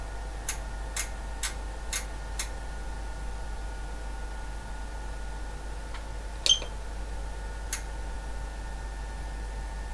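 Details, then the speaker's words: Ryden supply at full 360 W load from a Kunkin KP184 electronic load: short sharp high beeps, five every half second then more, over steady hum, as its current limit kicks in and it does not appear to recover. "Okay, and the Ryden is starting to complain. So the current limit is kicked in. It doesn't appear as if though it is going to recover."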